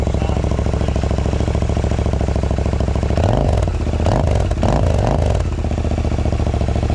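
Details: 3-year-old Euro 4 Royal Enfield INT 650 twin with free-flow open exhaust and FuelX lean-fix on setting 6: deep even burble at idle, a few quick clean throttle blips, settles back smooth; healthy.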